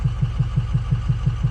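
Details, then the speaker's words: Used diesel truck considered for a budget mud truck, oil clean with no metal: deep, steady, loud drum-like knock about six per second at idle; owners suspect possibly the cam, unconfirmed. "It sounds like an Indian beating on a drum now. I think it's the same, man. I don't think it's much different, so I'm not stressing"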